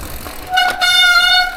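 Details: Newly acquired replacement bike on first ride: loud steady horn-like honk near 700 Hz with bright overtones for about a second as the poorly performing rear brake bites; rider calls it terrible, needs sorting; brake cable catches on pedal.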